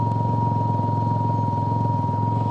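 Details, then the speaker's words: Can-Am Ryker fuel pump whining loudly and steadily over smooth idle, getting louder over time regardless of fuel level; known BRP issue with no fix yet. "You can hear how loud that fuel pump is. It is definitely getting louder."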